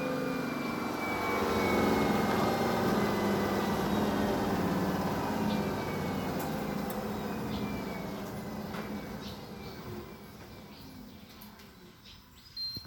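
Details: BAAM001 home treadmill after about one year of use, incline 5, at top speed 14: steady, smooth motor hum with a light whine that holds even, then tapers off as the belt slows. No rubbing or knocking. Normal running.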